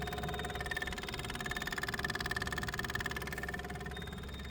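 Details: Case STX375 tractor, key on: steady high buzz with fast, even ticking about three per second; the fuel lift pump comes on and primes normally.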